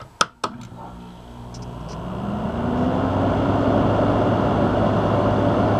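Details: Window AC unit being modded with a hard-start capacitor for off-grid solar, baseline start before wiring the capacitor, switched straight to high cool, drawing about 17 amps: a couple of sharp clicks, then compressor hum swells and settles into a steady, even drone; normal start.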